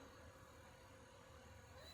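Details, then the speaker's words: Newly wired windshield wiper motor on a 1929 Chevy street rod project, switch cycling low, high and park: a quiet, steady, even whir with a faint constant tone near 500 Hz on low speed. Normal wiper motor operation. "there's high, there's low, there's low, and there's park. So it's pretty simple."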